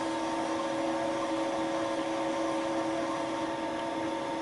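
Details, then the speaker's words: Deeper repeat pass, Wohlhaupter UPA5 boring head on Thiel Duplex 158 mill under quill power feed, removing molten plastic from a lawn mower bearing seat; steady high whine with even tones and light hiss, chatter-free: normal boring cut. "the tool was retracted and the table slightly raised the cut was repeated the slightly deeper boring operation finally cleaned up the bottom of the seat and removed the molten material"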